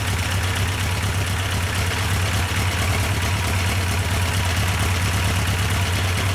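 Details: Yamaha FJ1200 café racer project, after oil priming and final start-up, during carburettor synchronisation: steady low rumble with an even beat, no misses, knocks or surging; idle holds smooth and settled.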